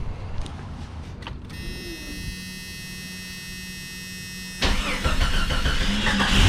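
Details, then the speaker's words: 1991 Jeep Cherokee Briarwood after replacing a dead alternator: a brief crank, then it catches and settles into a steady, even idle with no knocks or squeals; the gauge reads 14 volts and a test drive was fine. "well i just took a minor test drive and everything seems to be just fine"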